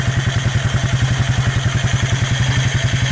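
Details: Abandoned Suzuki KingQuad 300 4x4 ATV after Mikuni to Keihin clone carb conversion: steady, even fast single-cylinder thumping, no stumbles or knocks; purrs right along, healthy idle.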